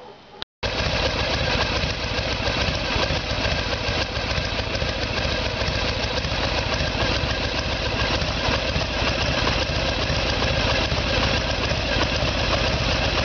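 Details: 1994 Harley Sportster with 1996 Evolution V-twin, after carburetor fix and timing set: steady even lope about three and a half beats per second, no misses or knocks; healthy idle.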